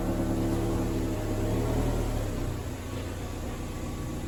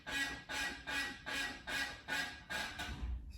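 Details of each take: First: 1991 Toyota MR2, night test drive after removing broken sway bar and adjusting and greasing the binding brakes: steady road and engine rumble with no creak, squeal or grind; fixed and running normally. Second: 1991 Toyota MR2 after removing cracked sway bar mount, test roll: squeaky creak repeating about two and a half times a second, caused by binding brakes; the separate clicking was from the sway bar.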